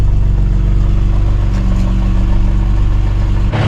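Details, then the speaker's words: VW Jetta Mk3 VR6, warm after 10–12 minutes of running following a cold start: a steady tick about four times a second at idle from the top end. A knock, with the upper timing cover and valve cover area still to be checked. "Alright, car has been running for a good 10-12 minutes and we still have a knock. You guys can hear it coming from top one."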